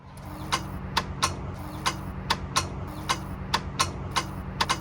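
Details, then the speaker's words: 1990 Acura Integra GS after automatic-to-manual swap, first start attempt: sharp uneven clicks two or three a second over low hum, no cranking; starter clicking. "I went for the first crank and the starter made this noise. It's like a clicking sound, but it's not a cranking sound."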